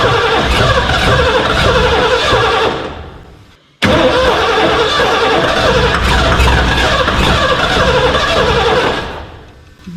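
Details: 1989 Ford F250, parked since about 2016, with a new gas tank and a new battery: two long cranking bursts at about three per second that never catch.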